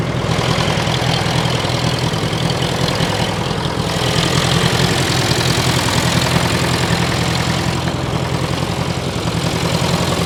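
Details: 1968 John Deere 500A diesel loader tractor (industrial 3020), parked over 10 years, just started with ether: loud clatter, uneven lumpy idle with occasional misses; rough running, fuel in tank, diesel seen running down side of block.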